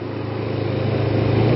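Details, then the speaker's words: Kawasaki Ninja 250 carbureted twin, cold start after sitting a week: steady, slightly rising fast idle near 3,500 rpm on part choke, rpm dropping as choke is eased; normal fast idle during warm-up. "So just a little bit of a touch on the choke and it dropped a little bit on the RPMs there. Drop it a little more. About a 3,500 RPM."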